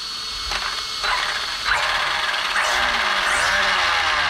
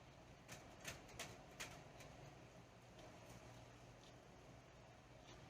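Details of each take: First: Arrma Vorteks RC truck after front and rear diff service with 15,000 weight fluid: motor whine rises smoothly, gears spin freely without grinding or clicking; drivetrain working fine. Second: Arrma Vorteks RC truck with 6S motor, differential/gearbox turned by hand during diff service: sharp irregular ticks about three a second from the input gear in the housing; clicking that later cleared after spinning, cause not found.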